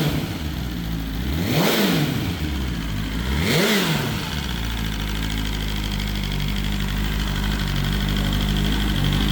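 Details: BMW S1000RR first start after oil plug came out and oil went everywhere: two sharp clean blips then steady even idle, no knocks or rattles; engine sounds healthy.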